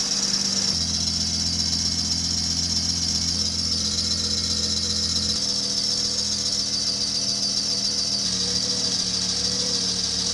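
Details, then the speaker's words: Acura TSX race car on cold start: loud, constant high-pitched belt squeal over idle; brake cleaner on the tensioner pulley made it louder, while spraying the alternator pulley silenced it briefly, so the source is not yet confirmed. "For the next step, we are going to try and find out if this guy right here is the culprit for the crazy squealing noise we get upon cold start."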